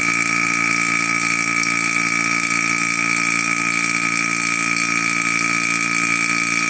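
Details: Single-stage 2.5 CFM HVAC vacuum pump, mid-grade non-brand, pulling down to about -29: loud, constant high-pitched drone with a steady hum underneath that never gets quieter, no surging or knocking; running normally.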